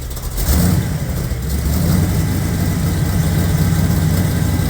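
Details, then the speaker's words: Small-block 350 V8 in a truck, running on Tuned Port Injection with a stock '86 Corvette computer and an oversized cam, fueled from a 5-gallon jug via a high-pressure pump and filter. Deep, steady rumble rising cleanly on revs and settling back to an even idle: running really good. "running really good"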